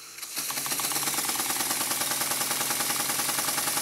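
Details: Model steam engine running on compressed air after cylinder and port face repair, with the steam chest cover refitted with six new 4BA bolts: quick, even chuffing at three to four beats a second with a light clatter, steady throughout; normal running.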